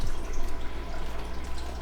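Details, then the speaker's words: Restored Jobo CPP2 film processor after repair: a low, steady pump hum under trickling, splashing water with no stutter. The bath circulates properly, and the temperature rises from 22.8 toward 38 °C. "So the water has gone up. It pumped the water and the pump is working, and it's now around the drum here."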